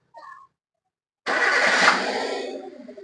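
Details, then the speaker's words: Chevrolet Beat petrol that had no power and one cylinder not working due to a failed cylinder-1 plug cable; after replacing the full plug wire set, a quick crank catches and settles into an even idle without vibration. Normal start and idle. "ഇപ്പോ നേരെ നേരെ വൈബ്രേഷനോ കാര്യങ്ങളോ ഒന്നും ഇല്ല"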